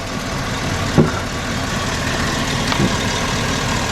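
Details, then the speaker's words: 2008 Chevy Suburban 2500 at idle after its rear AC lines were replaced and the system evacuated, being recharged with R134a: a sharp click as the compressor clutch pulls in, with engine load barely changing. Normal clutch engagement. "you'll hear a click when the compressor kicks on nope compressor just kicked on"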